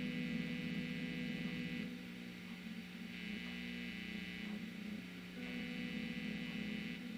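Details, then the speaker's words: Pink Telecaster with noiseless pickups, heard through the amp after grounding the bridge to the volume pot to cure hiss: steady low mains hum with a buzzy edge, only slightly quieter than before; cause of remaining hum unclear. "this is just me in the room same way it was before had the light on it to me it sounds just a little bit quieter not much"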